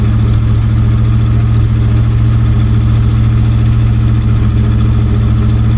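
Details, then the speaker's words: 1965 Dodge van V8 that sat for years, running on old varnished fuel through a manual fuel pressure regulator set to max: loud, even idle with a deep steady rumble, no misses or knocks; runs decently though smoking heavily. "Just run her a little bit longer. Fill up the bowl again. It seems to run pretty decent."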